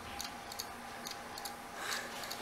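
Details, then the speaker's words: Opened, dead low-rpm hard drive with a small platter, run in a caddy: repeated sharp clicks in bursts, the click of death, because the heads can't read a platter with corrosion and fingerprints; cleaning the platter didn't help. "it's got the click of death yep so why this happens is it can't read the platter corrosion uh fingerprints"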